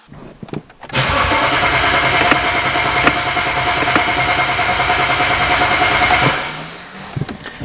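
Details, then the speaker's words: BMW 135i rescued after flooding and eight years in a salvage yard, with its DME newly installed. The starter cranks steadily about three turns a second for five seconds but the engine never catches. There is no fuel pressure, and the owner suspects the fuel pump module, unconfirmed. "I feel like that means it's the fuel pump module not giving it the pressure technically if I activate these and that module is working they should kick on and I hear nothing"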